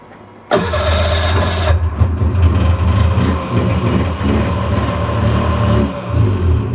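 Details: 2002 Polaris snowmobile, pre-season start after storage with gas poured down each cylinder: fires at once with a brief high rev, then a steady, slightly uneven two-stroke idle as the fogging oil burns off.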